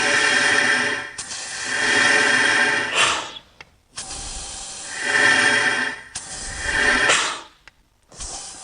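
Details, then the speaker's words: Porsche 911 Turbo 997.2 boost leak test: repeated sharp airy hisses a second or two long from a blow-off valve leaking under test pressure. Holding one valve down makes the other side leak; the spring was stretched as a temporary fix. "let me see if i hold this down [Applause] and now the other side is leaking"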